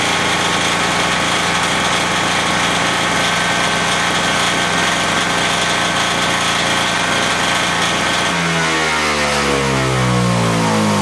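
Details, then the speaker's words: MTD 2-stroke single-stage snow thrower that would not start, running after carburetor cleaning: loud, even two-stroke buzz at steady revs, then the speed shifts smoothly near the end; rpm sounds good; normal running. "but that fired up pretty good actually it runs all right the rpm sounds good i think it'll be all right now"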